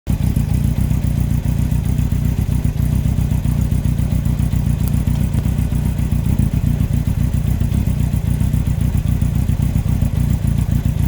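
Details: 2003 Yamaha R1 (5PW), 41k miles, cylinder 4 big end bearing failure: heavy low clatter with a steady knock nearly four a second under the running four-cylinder. Cam chain, valves and top end are fine; owner suspects harsh downshifts or false neutrals; needs new engine.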